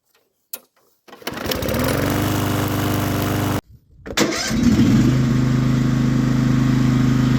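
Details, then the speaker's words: Free push mower, first start with fresh gas, oil looked overfull: starts on the pull, stumbles once, then runs at a steady even beat; running normally. "seems like it started to me all right put some oil in it now I'm ready to use it not bad"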